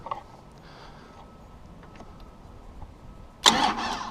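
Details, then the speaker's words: 1995 Dodge Ram 3500 with 5.9L 12-valve Cummins, no-crank fault, start relay bypassed with a jumper wire: quiet, then one short burst of cranking; starter cranks normally, fault lies upstream of the relay. "so you see it here that it actually will try to start there, and if I kept doing that, it will start."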